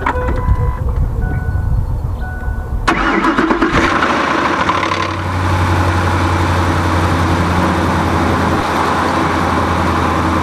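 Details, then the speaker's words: 2005 Ford F-150 5.4 Triton, cold: brief metallic clatter on startup, then slightly uneven cold idle; owner says it rattles at startup and sounds like a diesel once warm; cold start rattle. "it rattles on startup and then once it gets warm it sounds like a diesel"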